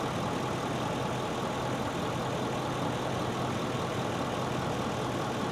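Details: Ford 6.7 diesel Super Duty at idle after the crankcase ventilation (CCV) box was cleaned, oil level good, manual regen still pending: a steady, even diesel idle with constant low rumble and clatter and no uneven knocks or surges. A healthy idle.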